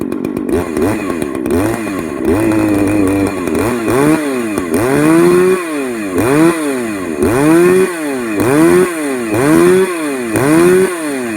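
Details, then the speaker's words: Modified Poulan 4218A chainsaw with muffler mod, revved at full throttle about once a second: slightly rough, burbly sound as it still runs a bit rich on the top end despite running lean at low end. "but yeah you can you can hear it on the top end how it still runs a bit uh rich there even despite the low end running lean"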